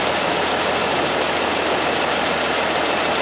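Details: 1969 Land Rover Series 2a six-cylinder, now running better: steady, even hum with no skips or stumbles, all six cylinders firing evenly, idling smooth as a sewing machine.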